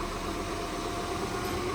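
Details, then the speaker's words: 2020 Ford Mustang EcoBoost, replacement rear differential already bad: constant whine over road noise while driving, bearing-like, with resistance and slowing when braking/decelerating. "It's that constant whining noise right there."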